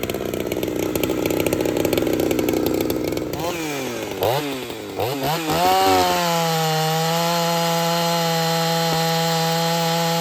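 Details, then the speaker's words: Ported Husqvarna 61 chainsaw with aftermarket 268 top end and crank swap, not yet broken in: it bogs and bounces through the firewood cut, then clears to a steady crisp high scream free-revving. It is a strong, healthy runner. "Other than that, I think she's a good runner, and it's not even broke in yet. So, good opportunity. Let's fire it up and make some cuts."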